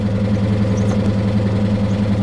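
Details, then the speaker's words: 2022 Honda Civic Sport at salvage auction, started on a very dead battery: steady idle with heavy coarse drone and rough low thrum, far louder than normal and not subsiding; possible water ingestion suspected, not confirmed. "I don't think that noise is going to subside guys that's really sad I wonder if it sucked up some water or something"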